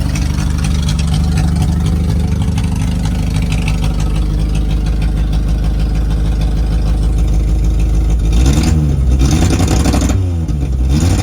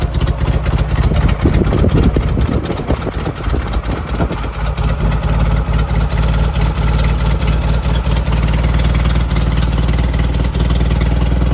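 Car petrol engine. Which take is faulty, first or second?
second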